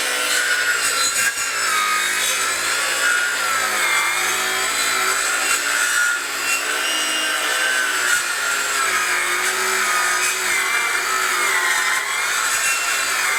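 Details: Craftsman V20 brushless 7-1/4" circular saw CMCS550B, battery just over half charged, full-depth cut across 4x4 treated lumber: long rasping cut, motor whine sagging and wavering under load as sawdust plugs the dust port and slows the blade.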